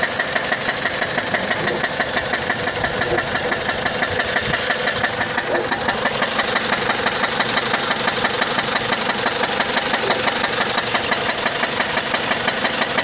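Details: 2004 Dodge Stratus; loud sharp steady knock about three per second over the idle; engine knock at idle, cause unknown.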